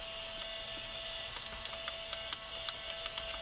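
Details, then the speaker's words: Abandoned Mercedes 300CD, battery just installed after long storage: the CD player mechanism whirs continuously with a steady high tone and irregular ticking clicks, cycling and impossible to stop. "So that's just gonna eat itself alive, I guess, and we won't worry about it."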